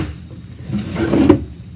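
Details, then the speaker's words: Wooden drawer after cleaning the tracks and waxing the rails: short slide with a dry scrape and drag near the end of travel; still sticking because a raised, aged joint is rubbing. "it still has a problem so look at next steps for making it not stick"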